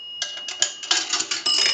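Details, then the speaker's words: Northern Electric 3-slot payphone after repair and conversion, final checkout via an amplified pickup on the receiver: last nickel drops, one clear bell strike among coin clatter and rattling. Normal nickel signal. "So we're going to start with a quarter, and that will gong one time."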